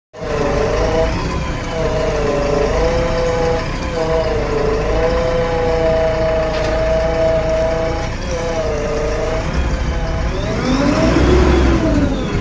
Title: Abnormal sound in hydraulic pump #jcb #3dx #hydraulics #reels #shorts